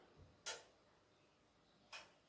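Two sharp dry clicks about one and a half seconds apart in a quiet room; the starter keeps cycling because the worn-out tube won't strike.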